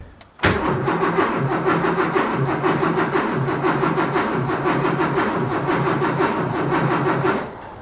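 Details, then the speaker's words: Porsche 911 2.8 RSR build: steady starter cranking, but the engine never catches. There is no spark while cranking, even after the grounds were cleaned. A test light on the ground stays dark, so the cause is still unknown. "I just set the test light on the ground and just so I could see it while I was cranking still no joy so that didn't work back to the drawing board"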